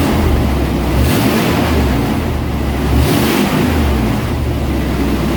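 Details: 1990 Chevy K1500 pickup before exhaust repair: deep, loud, raw rumble with a rough throbbing edge and no muffling, from a rusted, leaking pipe with a missing muffler.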